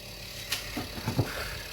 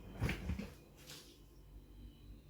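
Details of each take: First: Fridge-freezer fan with a low steady hum broken by sharp irregular ticks and knocks as the blades strike built-up ice; the fix is removing the ice. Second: Refrigerator fan after repair: a quiet, steady low hum, running smoothly, with a few handling knocks. It was much quieter than the noisy fan before the fix.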